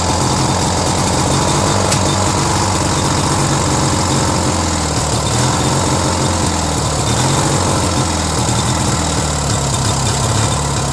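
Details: Briggs & Stratton 16 hp opposed twin on a Murray tractor, freshly oiled: idle hunts with a slow rise and fall, running better on choke, so it's short of fuel (lean); fine at full throttle, possibly missing a Welsh plug.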